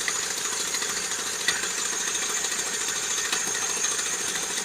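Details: ER6 pump drive friction wheel, loose and wobbling: sharp, uneven metallic rattle-knock repeating constantly during pump operation over a thin engine sound; knocking from the pump drive wheel.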